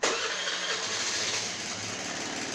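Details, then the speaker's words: 2014 Honda Lead 110 scooter before repair, washed, started to show an engine noise; no smoke, so top end not suspected; starter catches into a busy, rough mechanical rattle over idle that never smooths. "essa moto está com um pequeno barulho aqui no motor entendeu E a gente precisa desmontar aqui para verificar o que pode ser"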